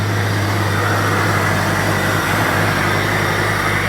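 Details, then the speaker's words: New 4.6 stroker engine in 1999 Jeep XJ, just started after redropping distributor at top dead center (was too advanced, wouldn't idle), before warm-up; even steady idle rumble, smooth unbroken beat, no ticks or stumbles, purring; normal idle. "of cake all right it's purring like a kitten a very tame Beast so nice and straight no issues"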